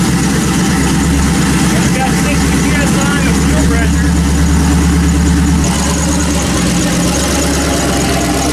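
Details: Built turbo LS 1974 Chevy Caprice just after a Holley 12-1800 twin fuel pump upgrade, showing fuel pressure with no leaks: the engine catches and settles into a steady, even idle with no misfires or stumbles; sounds healthy.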